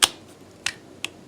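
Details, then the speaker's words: LT1000 riding mower, key turned on with a hot wire to the carburetor and the engine stopped: three sharp, light clicks in about a second as the fuel shutoff solenoid at the carburetor bottom pulls in, working normally. "hold on so that clicking you hear that's the solenoid in the bottom of the carburetor that's a good sound"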